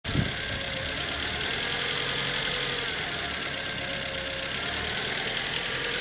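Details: Ford Fiesta Mk6 1.4 16V engine: steady run with a light, uneven ticking on top; something is off, but cause not pinned down.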